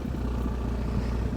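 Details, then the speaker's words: Handmade 1926 roadster after reconnecting a vacuum line: low, steady idle with even deep throb and no knocks or misses, now running good; normal idle. "Let's fire it up and see if it runs any better. It runs good now."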